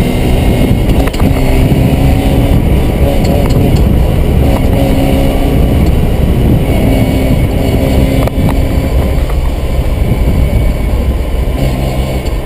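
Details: Mazda RX-7 revving with a few sharp, irregular knocks every few seconds; owner suspects the gearbox, not confirmed.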